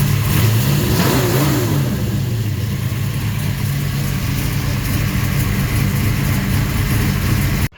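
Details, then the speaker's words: Camaro after ignition fix for cylinders one and two running cold on exhaust temperature, warmed up, timing 37.5°: deep exhaust rumble revving and settling without misses; normal running. "well let's just say that ignition was going out because one and two were running cold on cylinder temperature on exhaust temperature and now I don't have two dead cylinders anymore sounds pretty good now"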